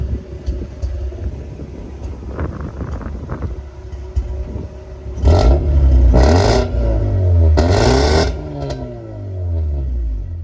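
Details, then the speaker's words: Mazda RX-8 rotary engine, smoking and suspected bad oil seal, revved after warm-up with check-engine light blinking: sharp revs with a rough, choppy edge on the climbs; misfire, owner plans to change spark plugs. "misfire I'm getting a misfire my shck engine light started blinking and that's the sign of a misfire"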